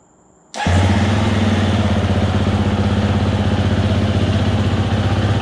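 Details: 2020 Husqvarna FE 350 with 40 hours that bogged and stalled on quick throttle, first start after replacing in-tank fuel filter, gasket leaking: fires instantly into a crisp, regular idle of about four pulses a second, definitely better.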